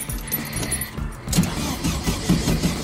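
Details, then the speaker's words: 1971 VW Type 3 Squareback 1600, first start attempt: sluggish, uneven cranking that drags and fades without catching because of a weak battery. A battery jumper is used next. "of course the battery's crapping"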